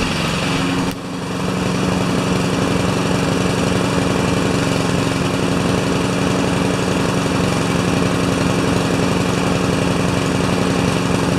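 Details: Craftsman mower with Honda GCV160 engine, in for a released rusty rewind spring, warming up after start; short dip at first, then steady even buzz, no misses or knocks; running healthy.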